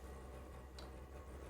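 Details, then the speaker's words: New Vevor diesel heater, first start after priming, white smoke from the exhaust as it purges air: the pump comes on after combustion starts, crisp ticks about once a second over a low burner rumble. Normal fuel pump operation. "We have not had the pump come on yet. That should be the next step. You can hear the combustion already taking place. The pump just came on. Fired up."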